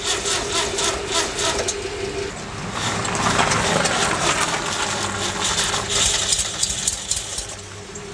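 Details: 1974 VW engine, first start after new exhaust valves, springs and rings, 205K distributor, Solex 30PICT-1, Pierburg mechanical pump: cranks about four beats a second with light rattle, never fires; fuel pump was plumbed backwards.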